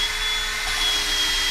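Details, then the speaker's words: 1964 Ford F350 dump truck 390 V8 rebuild, valve lapped with drill on slow speed back and forth with lapping paste on seat: steady gritty hiss and faint whir, cutting heard under pressure; normal valve lapping. "you can hear it cutting when you put pressure on it that's probably good"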